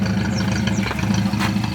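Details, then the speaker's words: Old carbureted car with transverse leaf spring, after a small carburetor backfire from giving it gas: slow, regular low putter at idle with even beats and no misses or knocks; judged normal. "well there's nothing wrong there it's about the proper bees"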